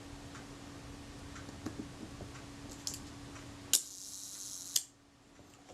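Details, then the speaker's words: Synchro Compur shutter from a Kodak Retina IIIc, fired at 1 s after the retard gear train was swung inward for more engagement. A crisp opening click, then a closing click about a second later: slow speed now times close to correct. "sounded a bit more like it"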